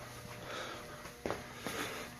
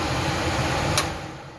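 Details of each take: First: Garage furnace makes a loud steady hum but the fan won't start: blower motor energized but not spinning, motor seized (tight), with scattered handling clicks. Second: Garage furnace that only made a loud hum and whose fan would not kick on, after its blower motor was remounted: a smooth, even rush of air with no hum or buzz; it runs far better.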